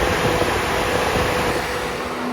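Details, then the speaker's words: Peugeot Boxer horsebox van in limp mode, radiator fan actuator test via ThinkScan 689BT: loud steady air rush, constant pitch, no ticking or rubbing; high-speed fan works, low-speed fan failed and is causing the fault. "so the high speeded Fan's working low speed is not so I'm going to do is stop that we'll go back so just by doing those two simple tests we can confirm that the highspeed fan is good"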